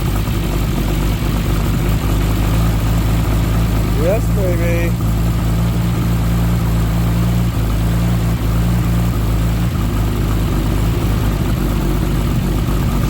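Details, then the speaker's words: Nissan R33 Skyline with freshly built forged engine, first start after engine install: lumpy uneven idle with deep drone and ticking; misfire, lifter tapping and a bad downpipe exhaust leak, owner hopes misfire and tapping stop once run in. "it's got an exhaust leak from the downpipe which we need to tighten up because it's quite bad and uh hopefully when it runs in a bit more it'll stop misfiring"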